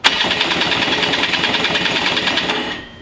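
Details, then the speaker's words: 100cc two-stroke racing go-kart engine, newly rebuilt starter, not run in years: fast whirring starter with uneven chuffing pulses about three a second as high compression resists, but it turns the engine over fine. "a little jumpy because of all the compression this engine has but works pretty well"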